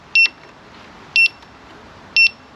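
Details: Begode Hero electric unicycle in a quiet room: sharp high double beeps about once a second as the trolley-handle assist mode keeps alerting after the handle is lowered; lift switch can't be turned off.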